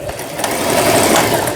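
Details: Toyota EC164K sewing machine, test sewing after repair of a jammed centre gear/cam block unit that had stalled the motor: short burst of quick, even stitching clatter over steady motor hum, no knocking or grinding; sews cleanly.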